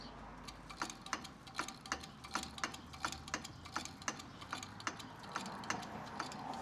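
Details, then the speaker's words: Second-gen Dodge Ram with 5.9 Cummins on a lift, front wheel off: sharp, regular metallic clicks about three a second as the hub turns, with something dragging inside the rotor; worn, rusty front axle U-joint clicking, due for replacement. "That little something dragging on the inside of that rotor. That clicking you hear is that U-jint."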